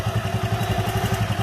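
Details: Honda Megapro single-cylinder engine fitted with a new GL Pro CDI timing chain, idling hot with about fifteen even thumps a second and no rattle. The old chain rattled when hot.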